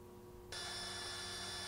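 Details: Automotive relay bench test, coils 85/86 powered, meter across 87 and 30: faint hum then steady high continuity beep, showing the relay contacts close and the relay works.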